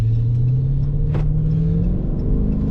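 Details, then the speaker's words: 2012 Chrysler 300 SRT8, 392 Hemi V8 with about 12,000 miles, after a ticking sound was cured, heard from inside while driving: deep, smooth rumble rising gently with throttle, no knock or clatter. Normal engine sound. "it's got approximately 12,000 Mi on 392 Hemi that you hear rumbling underneath my right foot"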